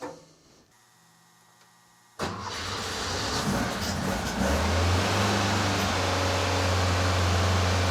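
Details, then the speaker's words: Rebuilt Porsche 912 flat-four in a 911, restarted after cleaning clogged carburetor: catches after cranking into fast, busy, slightly uneven idle; runs a little smoky, possible oil-cooler line leak; over 35 degrees advance by 2500–3000 rpm; over-advanced timing. "but it is running it was running a little fast it is too far advanced i saw over 35 degrees um on max advanced and that was only at like 3000 2500"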